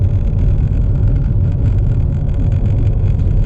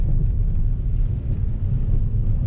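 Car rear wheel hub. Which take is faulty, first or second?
second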